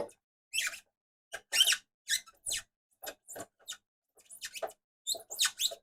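Short, high-pitched squeaks come in irregular bursts with each turn of the reel; the winding mechanism is dry or rubbing. Cause suspected, not confirmed.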